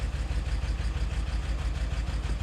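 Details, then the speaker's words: BMW E70 X5M, misfire faults on cylinders 5, 6, 7 (one bank): low, lumpy uneven idle, unchanged by the exhaust VANOS test but worsened by the intake test; cam solenoids suspected. "So now I've got misfires on cylinder 6, 5 and 7. So that's one bank in particular."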